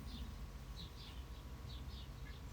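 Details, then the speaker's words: Retro Kona Kula mountain bike, wheel hand-spun after fitting with caliper top bolt snugged: faint high swishing chirps about three a second as disc rotor rubs pads, heaviest at one spot; slightly bent rotor. "So you might be able to hear it there, and then sort of shift it a little bit. And then you can sort of hear where the brake is heaviest."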